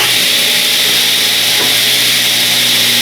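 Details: Free used table saw, first test after fitting a blade: constant high-pitched whir from the spinning blade with a steady motor hum and no wobble or rattle; the saw runs smoothly.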